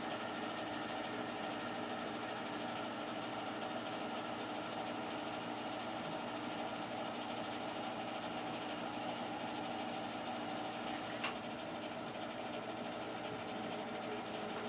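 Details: Newer boiler, only a few years old and side-vented, on its first start of the heating season on a cool morning in a chilly house: quiet steady hum with a soft even hiss, no knocks or rattles; normal running.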